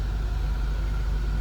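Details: 2002 Chevrolet Monte Carlo SS Dale Earnhardt Signature Edition, 3.8 L V6, automatic with overdrive, 515 miles, just after start-up, no warning lights: steady, smooth low rumble with no knocks, ticks or misses. Normal idle.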